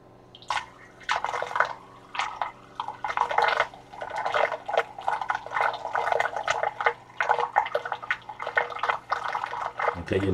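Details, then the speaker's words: DIY vortex fountain magnetic drive after adjusting the magnets: faint steady motor hum under splashing water, no longer any rubbing of the magnets on the glass; drive running normally and quieter. "y a déjà moins de bruit je n'ai plus le bruit du frottement des aimants sur le verre"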